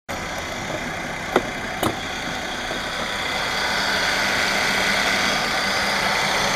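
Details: 2012 Mercedes-Benz E350 BlueEfficiency idling with a steady high-pitched whine from a worn idler pulley bearing, fixed by replacing the idler pulley.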